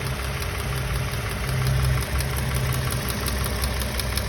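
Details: 2016 Toyota Camry XLE 3.5 V6 2GR-FE at operating temperature, about 60,000 miles, water pump recently replaced: fast light ticking over steady idle, begun around 45,000 miles and growing louder; mechanics unsure of cause.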